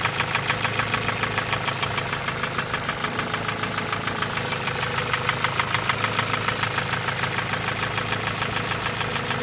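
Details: Ford Focus 2 1.6 100 hp engine: steady, even, light metallic ticking over the idle; owner attributes it to piston pin knock, no other problems, no oil consumption, starts well.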